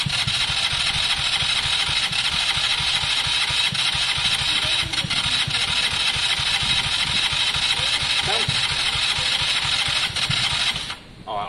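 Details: KSR motorcycle after valve setting, with weak battery and starting spray: fast light even cranking about two beats a second, nearly catches but won't start.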